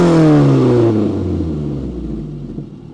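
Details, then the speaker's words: Peugeot 405 1.9L GRX4 after carburettor adjustment with a Colortune, choke off: engine blipped gently and released, revs fall away smoothly and evenly with no stumble or flat spot; carburettor well set. "accélération doucement si on lâche ça descende écoutez pas de trous"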